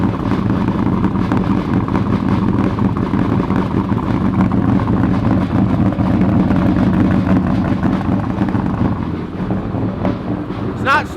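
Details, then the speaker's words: 2000hp twin-turbo methanol Corvette, cold start needing help: a loud lumpy idle with a loose metallic rattle from the torque tube at low revs. It clears above 2,000 rpm, with fuel and oil pressure good and no smoke. "The torque tube just sounds bad. As soon as it gets over 2,000 RPMs, it clears up."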